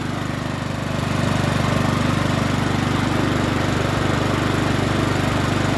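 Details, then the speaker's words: Troy-Bilt TB130 21in push mower with Honda GCV160 engine, previously wouldn't start, old oil not yet changed: steady even putter about two beats a second, holds speed cleanly; normal running. "bad don't sound too bad let's start it up again sounds pretty good now"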